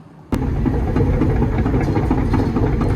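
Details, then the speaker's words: Develon DX300 excavator diesel starting up during boom pin rebushing: deep, steady diesel thrum with an even low beat from the moment it fires; strong, healthy normal running. "You can't beat that noise, can you?"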